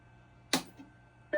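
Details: Macintosh 512K (old-world Mac) with reseated expansion board, booting; switch click then clean steady startup tone with no warble; normal boot, no jail bars this time.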